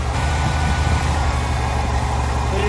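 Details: 1993 Ford F-150 inline-six, said to have low compression: idle with an uneven low thump and lopsided beat; one cylinder not firing from lost compression.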